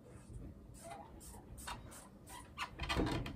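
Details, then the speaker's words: Sole elliptical trainer whose rails got wet then very dry; short high squeaks in a rough stroke rhythm over a quiet room, dry rails making the wheels squeal; fix is cleaning rails and applying lubricant. "a lot of times with ellipticals when they either get sweat down on these rails or in my case if the rails get wet and very then very dry it makes a loud squeaky noise"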